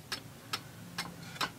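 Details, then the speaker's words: Antique Seikosha wall clock, movement reassembled after repair, while being put in beat: crisp ticks at even spacing, about two a second, in a quiet room; the clock sounds in beat. "That sounds pretty good. I'm an amateur. I'm not an expert, but that sounds pretty even."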